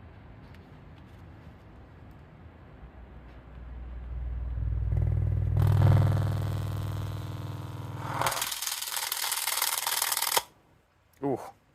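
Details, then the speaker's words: 5 Core 8-inch Sound of India subwoofer on a swapped amplifier; deep bass drone swells into harsh crackling distortion for about two seconds, then cuts out as it smokes and fails: overdriven subwoofer failure. "that did not take long she done it's a wrap on that definitely did Let the Smoke Out not a whole lot of smoke"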